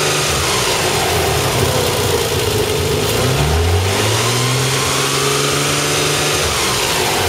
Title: 300zx Whining Noise